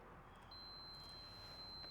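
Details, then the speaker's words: 1948 Chevy Business Coupe wiring check, meter grounded, testing the park light wire: steady high-pitched continuous meter tone, continuity, the park light wire is shorted to ground. "So that's going off."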